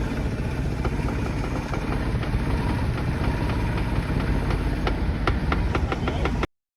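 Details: Suzuki F6A engine after no-power/no-start troubleshooting of battery, starter and fuse wiring: steady, even idle with no misses, knocks or stumbles; running normally.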